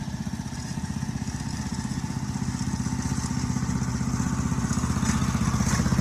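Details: 1984 MTD Air Sweeper (model 245-692-000), 36 years old, flathead Briggs & Stratton 5 hp (engine model 130212-1731-01): crisp, regular exhaust beat firming slightly as it settles, smooth, no misfire; healthy engine.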